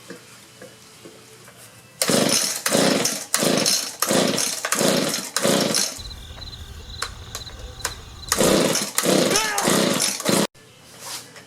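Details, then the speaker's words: Discarded Echo two-stroke leaf blower, freshly fueled: about seven quick rope pulls, each a short recoil whirr with no firing stroke; cranks but won't start, suspected no fuel from bad fuel line or gummed carburetor. "well i don't know if we're getting fuel so i'll try a little ether in there typical problem so there's either a fuel line that's bad or the carburetor is gummed up"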